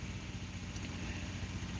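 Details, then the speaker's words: Ford F150, being checked for cam phaser rattle after clearing codes and priming oil, RPM raised slightly; power balance shows no cylinders dropping out, cylinders 4 and 6 fluctuating but not misfiring. Low, even drone with no stumbles: normal running. "Everything's pretty good. Let's increase the RPM a little bit. No cylinders dropping out."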